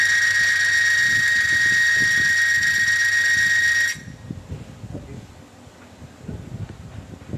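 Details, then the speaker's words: Friction tester run with no oil or gearbox fluid, 1-pound load applied: harsh steady high-pitched screech with metallic hiss for about four seconds, dry metal-on-metal friction squeal causing wear (erosion). "Geseran akan berlaku dan masa sama benda tu akan menyebabkan hakisan. Geseran tanpa sebarang minyak akan menyebabkan bunyi yang bising."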